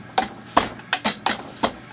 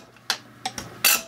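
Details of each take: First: Zexel (Bosch) mechanical injector from a Kobelco SK160 excavator dormant about 17 years, on a pop tester: sharp irregular chattering pops, poor atomization with holes streaming, pop-off near 210 bar; injector needs rebuild. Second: Zexel (Bosch) mechanical injector from a Kobelco SK160 backhoe that sat dormant seventeen years, rebuilt and on the pop tester: four short crisp crackling chatter bursts with good cloud atomization, a healthy injector.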